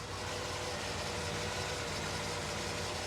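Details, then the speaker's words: 1963 Chevrolet Corvette 327 small-block V8, cold start after sitting a couple of days, microphone moved around the engine: even, smooth, quiet idle with no exhaust leak, valvetrain, water pump or bearing noises. "Hey, everything looks pretty good to me. Quiet, smooth operation, nice idle. You heard it start up instantly. No noises from the water pumps, bearing noises."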